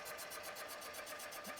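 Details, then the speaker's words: Cylinder boring machine making a finishing cut on a sleeved engine cylinder, leaving about 0.002 in for honing. Fast, even light ticking at about ten a second over a soft whir: the cutter is hitting one high spot. "Oh, there's one little nub there. I if y'all can hear it hitting one little nub that it needs to get."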